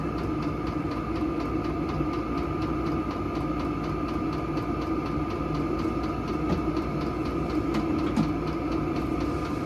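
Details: Silvel 5 kW diesel heater turned up to its highest setting, powered from a portable power station: even, steady combustion roar and fan hum with a constant mid-pitched tone and no surging; it runs smoothly at high output.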